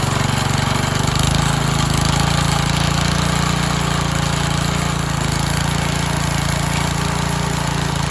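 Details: Briggs & Stratton garden tiller engine revived with fresh gas and starting spray, choke off: a steady, slightly lumpy chug of about four beats a second, running evenly with no misses, sounding as if it has a cam.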